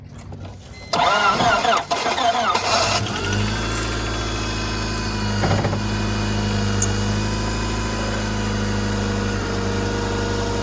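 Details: Enduro race car, wrecked with a busted motor mount and pulley shoved against the frame rail, battery jimmy-rigged: short crank, catches about three seconds in, settles to steady even idle; starts fine.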